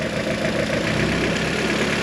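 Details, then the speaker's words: G23BK engine with an H22 transmission at idle: a light, steady tick rides over the engine and goes away when the number 1 ignition wire is pulled. Viewers suggest piston slap; a compression check is planned, cause unconfirmed. "a lot of you guys have mentioned that uh it is a piston slap and there's nothing should uh I worry about"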